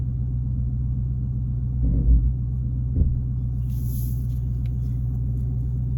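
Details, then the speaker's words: 2016 Dodge Charger idling after transmission mount replacement (bolts torqued to 35 ft-lb), shifted in and out of gear: steady deep even idle with only soft thumps, earlier extra vibration gone. Normal idle. "All right, let's crank it up and see how it's sounding. Definitely seems a little better."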